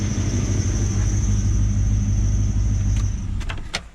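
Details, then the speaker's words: LS1-swapped Patrol V8 at idle after the exhaust leak was fixed: deep, even burble with no ticking or puffing, only a faint high belt squeal from a pulley needing replacement; a sealed, healthy exhaust. "it is so quiet now it is so quiet all you can hear is a squeal"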